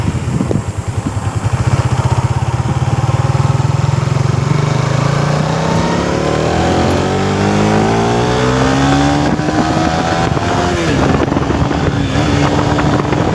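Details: Suzuki Raider 150 Fi on test ride after greasing rear caliper pins and dust boot to cure noise since pad change: clean, rising exhaust through the gears, no squeal or scrape from rear brake; fix effective.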